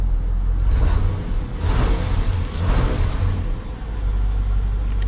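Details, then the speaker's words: LT1 Caprice running briefly without water pump, cold, original Optispark cleaned of oil: deep exhaust rumble swells and sags on each blip instead of climbing cleanly; hesitation, owner fears the Optispark may be bad, unconfirmed. "Feels like it's got a little hesitation. I mean, I would hate to put it back together and have that Optispark be bad. It's got a little hesitation to it."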